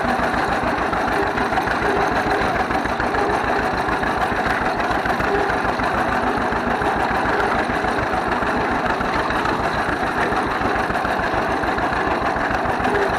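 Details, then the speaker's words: 1931 John Deere GP tractor running again after carburetor repair, steady even putt-putt firing about three and a half beats a second, no misses or knocks, smokes a little; normal running. "well there it is we got a 1931 john deere gp running again i like to see this old iron running i hate to see it sitting out the field rotten in the way oh it sounds good she runs good smokes a little bit"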